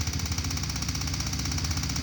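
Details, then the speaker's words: Vintage ATV/three-wheeler left for dead, revived after fixing the carburetor and a wire not fully seated in the coil: quick, even ticking over a lumpy small-engine idle. The electric fuel pump is working normally. "It fought me, but I even got the little ticking. That's the electric fuel pump."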